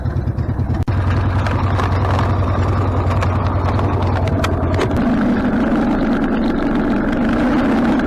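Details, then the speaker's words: Harley-Davidson Sportster after carburetor rebuild: steady, even low-pitched idle that holds without hunting or popping; before the rebuild it would idle a minute or two, then die and backfire through the carb. Now idling normally. "yeah it's idling great before it would idle for a minute or two and then it would die and it would backfire through the car block which is not doing now"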